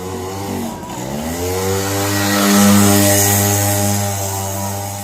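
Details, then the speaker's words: Yamaha V75 two-stroke with engine removed: revs loud and high, strains on throttle but won't pull or move, like worn slipping clutch plates; severe clutch slip, clutch to be repaired. "Dia ngeden banget, cuman nggak ada larinya. Suaranya kenceng, larinya nggak ada. Ngeden banget di gas, ngok gitu, kayak kampas kopling selip, kayak kampas kopling habis gitu ya."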